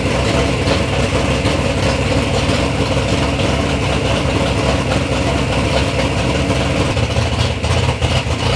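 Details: Third-gen Camaro with big-block Chevy V8, first start-up after years of building: deep, steady burble at idle with an even beat, no knocks or stumbles; normal, healthy idle.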